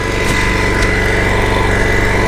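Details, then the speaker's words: John Deere SST-15 Spin Steer mower engine running on a jumped truck battery: steady buzzy single-cylinder drone with a slightly uneven beat, not settling smoothly. Rough idle; carburetor suspected, not confirmed. "honestly it seems like it doesn't really want to idle all that smooth anyway so I think we might go ahead and dig into the carburetor"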